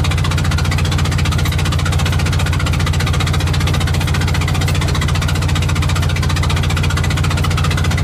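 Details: Invacar twin limping home on the road after spitting out a spark plug: uneven, lumpy beat around two per second over a deep drone. Running on one cylinder.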